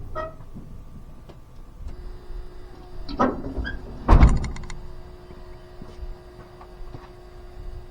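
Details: 1985 GMC C25 with 454 7.4L V8 and Turbo 400; newly installed electric fuel pump, key on; faint steady electric hum with a couple of clunks; pressure reaches 4.5 and rising; normal fuel pump priming.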